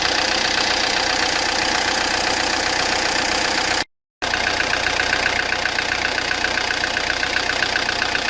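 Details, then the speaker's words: Peugeot Partner 1.9 diesel with a harsh idle and hard rattling knock about four times per second throughout, like loose valves; the mechanic suspects wrong timing (mise au point, chain/belt timing), possibly piston touching valves; valve knock from incorrect timing. "يعني الكرهبة تخدم لكن تعمل صوت كما هذا، صوت اللي هو صوت مزعج، صوت يعني كأنه سباب محلول، كأنه يعني عنده مشكلة يعني في الصوت هذا. والصوت هذا نتيجته كون الميز بوان غلط، كلاج غلط."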